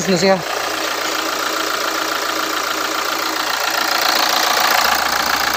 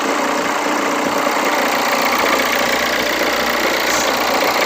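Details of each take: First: Hyundai Santa Fe after replacing the drive belt and idler: steady, even idle hiss with no squeal, chirp or rattle from the belt side, normal idle. The earlier noise was outside the engine, not internal. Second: Hyundai Santa Fe at idle before repair, with a loud, steady whirring rattle from the belt drive. Owner's complaint is a noisy engine. The drive belt, idler bearing and tensioner bearing are to be replaced for the noisy idler/tensioner bearing.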